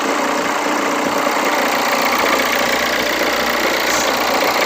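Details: Hyundai Santa Fe at idle before repair, with a loud, steady whirring rattle from the belt drive. Owner's complaint is a noisy engine. The drive belt, idler bearing and tensioner bearing are to be replaced for the noisy idler/tensioner bearing.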